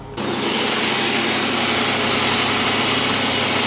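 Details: Car with a 3.8-liter engine (Series 3) started cold at about 14°F: steady, even roar settling quickly after start with no knocks or misses; a healthy cold idle.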